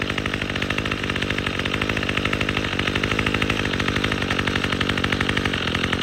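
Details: Troy-Bilt TB22EC two-stroke string trimmer, after replacing an old primer bulb to fix a no-start from sitting: fast, even high-pitched buzz with no misses, running cleanly under light cutting load.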